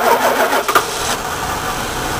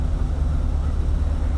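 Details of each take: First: Woodgas-fuelled truck, restarted after running the blower, with the mixer valve worked by hand instead of the servo that leaned the mixture and caused stalling: cranks and catches quickly, then settles into an even run with revs climbing smoothly and holding. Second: Woodgas-fuelled truck idling with the blower off, idle raised very slowly by hand at the mixer valve: low steady rumble with a faint uneven rise and fall, a mild surge; the servo let the engine suck the valve open, leaning the mixture.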